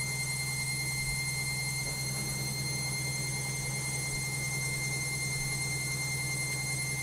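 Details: LOGIK washing machine on spin: constant high whine over a steady low drone with a faint uneven pulse; excessively noisy spin, cause unknown.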